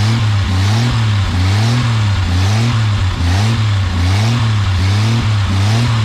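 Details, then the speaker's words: 1980 Jeep CJ7 with 258 inline-six, sitting about 20 years, with fuel being drawn through: catches and runs rough with lumpy pulses about once a second, surging and faltering, then dies; cause not confirmed. "hold on hold on hold it down right yeah but then it died"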